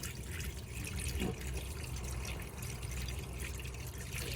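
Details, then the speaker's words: Fiat Ducato campervan (Nu Venture Elise) water system: with the pump kicking in straight away, the hot tap runs a steady, even rushing flow, clear with no spitting or spluttering, the same as the cold side; good pressure on both hot and cold, normal. "Hot water did the exact same, so that means that we've got good pressure in both hot and cold sides of the water system."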